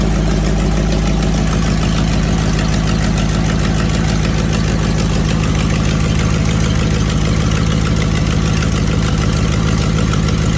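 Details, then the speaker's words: Ford Fox-body Mustang V8 with eBay twin-turbo kit, just after new injectors fitted (misfired badly at first crank, likely dirty): deep, loud, even V8 idle lope, no stumbles, running on all eight cylinders after a few revs. "i've wrapped it up a few times and it seems to be running on all 8 right now"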